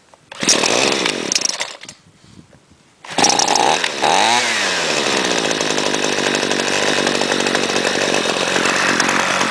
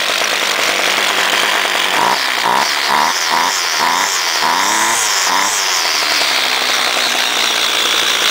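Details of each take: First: Cold Homelite trimmer with no air filter, primed six times, held at throttle: catches, dips, then holds a high, thin buzzing rev with little burble; owner says factory sets these carburettors too lean for EPA emissions. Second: Homelite direct-drive trimmer unstarted for about two months, choke worked by screwdriver, started quickly: crisp two-stroke buzz revs up cleanly in quick blips and settles to an even high idle; runs well.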